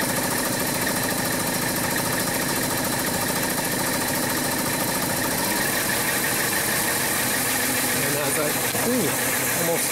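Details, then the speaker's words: 2004 VW Touareg 3.2L VR6 towed in for no power, misfire and injector short-to-ground codes on cylinders 4, 5, 6; uneven idle with a stumble about every second, one cylinder dead; number five coil blows the fuse, left unplugged. "you probably hear you start running a lot better I'm not gonna plug in that one because that blows the huge"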